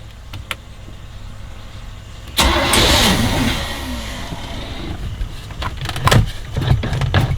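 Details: MerCruiser 330 hp 454 Chevy V8 in a 1989 Sea Ray 268, on muffs after new exhaust manifolds, risers, elbows and oil cooler: quiet, then cranking catches at about two seconds into a lumpy but steady idle; normal start-up and idle.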